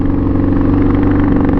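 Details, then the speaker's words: Pitster Pro XTR250 on its first ride at about 42 mph, after switching fuel and downshifting: flat, labouring single-cylinder drone that never climbs in pitch. Bogging; owner suspects carb, old fuel, or the choke left on. "but yeah it's bogging like crazy so let me look at this"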